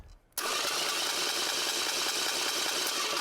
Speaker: hear that high-pitched whine well that high-pitched whine means that the starter is actually too far away from the flywheel